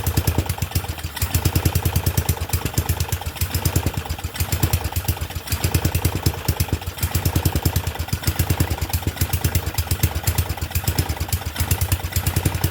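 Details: Murray Select 30-inch riding mower, just got running, air filter off, fuel tap leaking: fast uneven chugging that stumbles and surges throughout; runs rough, not the greatest.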